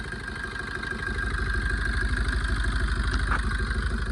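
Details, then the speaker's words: Maruti Swift that overheated after its coolant ran dry: a shaky, lumpy idle with vibration and a steady stumble about three times a second as one cylinder misses; misfire from a blown head gasket. "இந்த vibration வந்து பாத்தீங்கன்னா ஒரு cylinder missing ஆகுற கம்ப்ளைன்ட்தான்."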